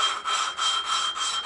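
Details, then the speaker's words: Valve hand-lapped into its seat with paste on the valve edge, no engine running: gritty rasping strokes about three a second back and forth, grinding off burn marks and any pitting. Valve lapping. "Just keep going like that. Until you get it. You can hear it grinding. And you'll see it starting to grind all the crap off the thing,"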